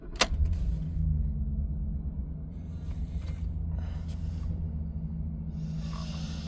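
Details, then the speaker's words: 2014 Ford Expedition, one owner, about 75,924 miles, engine started from inside the cabin: brief start-up surge settling into a low, smooth, even idle with no ticking or knocking; normal idle. "Nice, quiet, no ticking, knocking, anything like that. This thing runs and drives absolutely beautifully."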